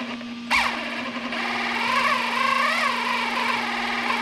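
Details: 3D-printed RC outboard with greased bevel gears, running in at 0–10% throttle: steady electric whine with gear tone gently rising and falling, slight hunting easing; now much smoother and holding the same RPM.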